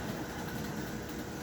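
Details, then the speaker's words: American Flyer 300 Christmas model locomotive with DC field motor upgrade and digital reverse on rubber roadbed, around 25 on transformer: soft steady rolling rumble, no motor growl, gear whine or clatter; runs smoothly and quietly. "Listen to that. All you hear is the train rolling. It's so nice."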